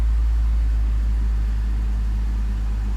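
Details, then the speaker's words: High-mileage BMW X3 after ignition switch replacement for intermittent no-crank/no-start: starts first try into smooth, steady low rumble with no knocks, misses or ticks; normal idle. "at least it starts in one shot okay let's try it again nice cool"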